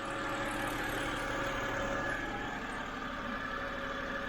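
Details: 2007 BMW 328i E90 after new electric water pump and thermostat, warm: steady, even idle with a smooth hum, no knocks, ticks or misses over several seconds; running normally.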